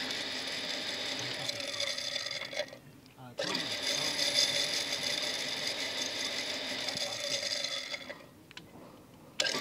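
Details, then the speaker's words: Shimizu PS135E water pump, first only humming without turning, now spins after restarting; harsh high whirr with a gritty hiss, cutting out twice; owner suspects sand has entered the motor. "dia memutar pemirsa cuman bunyinya keras Hai berisik gitu kayak ada pasir yang masuk kedalam mesin ini"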